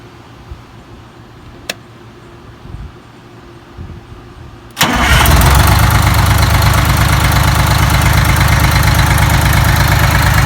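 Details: Detroit 6V92TA two-stroke diesel test run after installing Jake brakes, valve cover still off: quiet clicks, fires in about five seconds and settles to a steady, even idle; normal, healthy.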